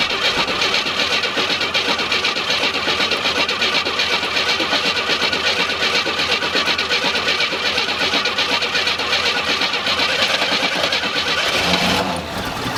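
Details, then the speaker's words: Abandoned 1987 Oldsmobile Cutlass V6 started on gas poured into the carburetor; the gauge reads 3/4 tank but the tank seems empty. It runs rough about twelve seconds, then stumbles and quits: fuel starvation. "You know, the gas gauge is showing that it has 3/4 of a tank of gas, but I shook the back of the car and I didn't hear anything in that gas tank."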